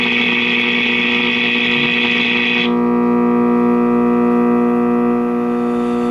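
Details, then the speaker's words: 1951 Stromberg Carlson C1 tube clock radio, all original, first power-up before recapping: loud steady buzzing hum persisting with volume down, so not the filter cap; likely a microphonic heater-to-cathode short in a tube. "almost sounds like a heater to cathodes short or something to you yep we got a microphonic Peter to cathode short I believe"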